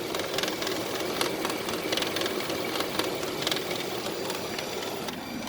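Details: Nissan Pathfinder (2013-on), AC on: fast rattling clack over a steady fan whoosh, the whole shroud shaking; the failing right-hand AC cooling fan in the fan assembly is vibrating loose.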